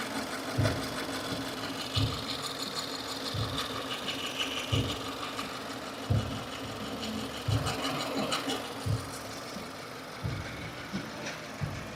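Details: 2015 Subaru Forester, warm idle out of warmup mode: soft thump-and-chatter recurring about every second and a half, not following engine rotation; new since days before, owner suspected lifter or rocker roller issue; source unclear.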